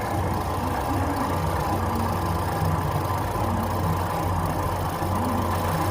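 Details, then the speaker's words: 2014 Ford Fusion with newly installed aftermarket alternator, after BMS reset: with the connector unplugged the engine idles smooth and stable with a steady low hum, no surging, and the meter reads stable; it needs an alternator. "Now you can even hear the engine stabilized. It's running smooth right now, really smooth, and it quit surging."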